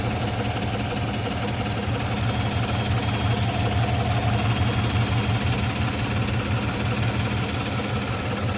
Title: L83 5.3 suspected lifter tick ??